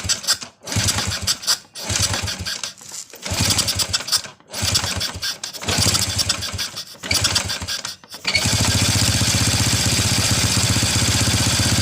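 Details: First-generation Honda Revo carburetor motorcycle that starts hard and dies when throttled, spark plug ignition checked normal: engine catches and dies about five times before a rough idle; cause a clogged carburetor jet.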